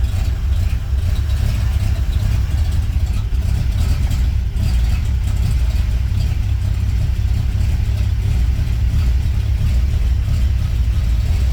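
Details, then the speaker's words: 1939 International Harvester D2 truck after fitting a new battery, second start using choke: steady, even low rumble at constant speed with no misses, knocks or rattles; running cleanly. "And the first time I tried, the car just uh started the first time I I pushed the the starter, but I still want to show you."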